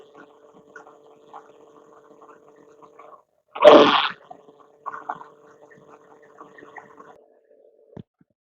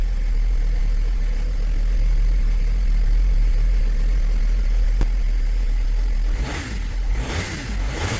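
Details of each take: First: 2007 Mercedes-Benz ML320 (W164), earlier run low on fluid, microphone placed on the power steering pump: faint steady mid-pitched whine under a brief rustle; noise isolated to the pump, not the rack. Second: 2007 Mercedes-Benz ML320 W164 after replacing the power steering pump and bleeding with Pentosin CHF 11S: engine ticks over steadily with only a low hum, no whine or groan; the steering noise is gone.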